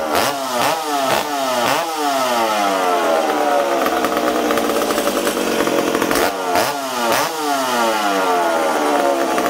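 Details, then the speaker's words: McCulloch Super Pro 70 chainsaw after fuel tank repair, restarted after a rich condition: sharp blips rev up quickly and cleanly, then a steady high two-stroke scream without bogging; running healthy. "ah wow there we go super pro super pro 70 ready to go again hopefully"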